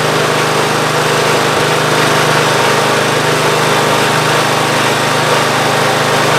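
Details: Free Ariens GT14 garden tractor after belts refitted and new hydraulic hose, fluid topped off: steady even engine drone, no knocks, misses or surges; normal running.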